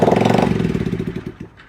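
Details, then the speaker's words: X6 pocket bike during restoration with a new wiring harness has plenty of spark but fires only on primed fuel, giving a quick burst of about fourteen pops a second that dies within 1.5 seconds; not getting fuel, or the piston may be bad, and the starter possibly bad too. "she got plenty of sparks out yeah she's not getting her fuel yet and or the piston could be no good"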